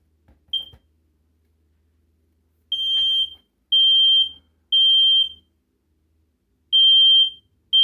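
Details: Home smoke alarm in a sister's bedroom, test button pressed: strong, clear high-pitched beeps, each about half a second, spaced roughly a second apart; alarm sounds properly.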